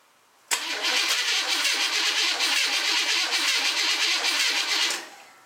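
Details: Rewired mud truck on its first test start, using a computer and harness meant for a 305 engine and fuel poured into the throttle body, fuel pump heard priming: the engine fires at once and roars steadily for about four seconds, then fades. A normal start.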